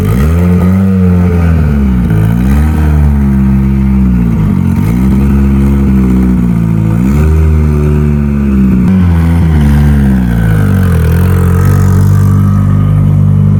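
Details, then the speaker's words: Mitsubishi Evo turbo build for dyno prep after home upgrades, already driven: strong even low exhaust note, smooth revs rising and falling a few times, no knocks or rattles; sounds healthy before boost leak test. "But overall, everything else sounds good, fires up good, sounds healthy."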